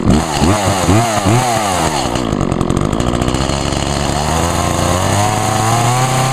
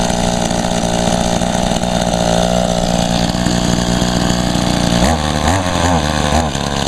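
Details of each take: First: Echo chainsaw (2012 Echo CS 400), owned almost four years and run on ethanol-free fuel; it blips up and down a few times, then holds a steady high rev that climbs slightly, crisp and even. Normal healthy revving; the bar and chain oiler is spraying oil. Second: Echo two-stroke equipment, first start in about a year and little used; small two-stroke buzzes steadily then sags and surges unevenly; very boggy, owner attributes it to almost no gas in tank, also wonders about a clogged spark arrestor screen.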